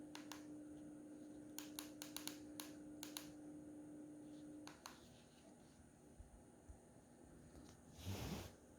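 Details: BenQ W2700 (HT3550) projector: steady mid-pitched buzz for about five seconds, then cuts out with light clicks, heard just right of the front BenQ logo, not the fan; owner asks whether normal.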